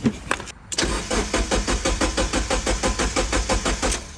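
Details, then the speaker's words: Mazda Miata abandoned in a field over 10 years, fresh gas added and brake cleaner sprayed into the intake: steady cranking at about three turns a second with no firing. The crankshaft sensor is bad. Crank, no start. "Damn, nothing."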